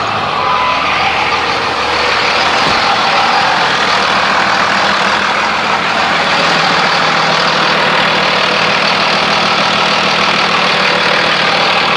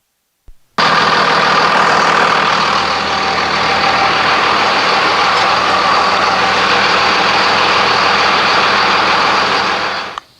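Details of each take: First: 2001 Dodge Ram 2500 5.9 Cummins turbo diesel after fuel filter change, aftermarket lift pump: steady diesel clatter about thirteen seconds then cuts out; stalled from air in insufficiently primed filter, restarted after more priming. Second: 2001 Dodge Ram 2500, 5.9 Cummins turbo diesel, back running after a fuel filter change and re-priming with the aftermarket lift pump: steady, even diesel clatter at idle with no stumbles or surging. Normal, healthy idle.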